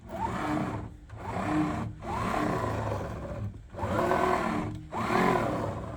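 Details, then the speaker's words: Anycubic Kobra 3 Max bed pushed by hand after eccentric-nut adjustment: harsh saw-like rasp each stroke about once a second; linear bearings binding because the twisted pressed-steel top plate twists the bottom plates. "Then you can hear that sounds like a saw. Like it's soaring its way back and forth. And that's because these bearings are binding as the flex in this top plate creates twist on these bottom plates."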